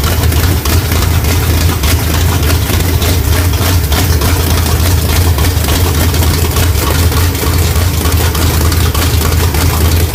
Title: Rough idle sbc 350 whit Thumper hyd roller cam